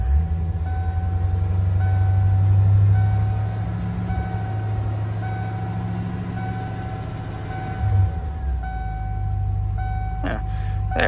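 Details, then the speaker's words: 1992 351W carbureted V8 truck on a 27°F morning, warming up: cold idle about 500 rpm rises to about 800; deep even V8 rumble with a brief lift, then smooth steady idle near 800 rpm; normal warm-up idle. "when it's cold it drops down to about 500 ish but it picks up to about 800 after a little while"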